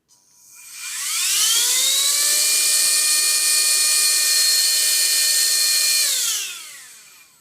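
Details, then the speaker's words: USB-C charged handheld desktop vacuum cleaner, after battery pulled and reconnected during teardown (no fault found, likely button not pressed properly): high whine rises smoothly, holds steady about five seconds, winds down evenly; motor running normally. "And it's working again. How? Don't know why. Battery pull me not pressing the button right."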